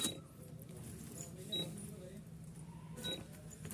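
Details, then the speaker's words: Usha 2000 W induction cooktop, model CJ 2000 X PC, switched on and working but not sensing the pan: short high buzzer beep repeating about every one and a half seconds in a quiet room; pan-not-detected warning. "इससे लगातार buzzer की आवाज आ रही है। लेकिन यह बर्तन को महसूस करने में असमर्थ है।"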